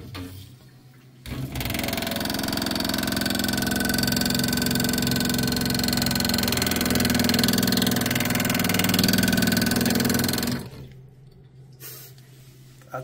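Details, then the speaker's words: Angle stop valve feeding a supply hose, water running: loud fast rattling buzz, about three to four pulses a second while water runs; water hammer chatter, likely a broken-off piece of the valve's washer. "I've dealt with this once before and it's likely the washer in here has part of it has broken off and it's causing that water hammer as water flows into the to the supply hose here."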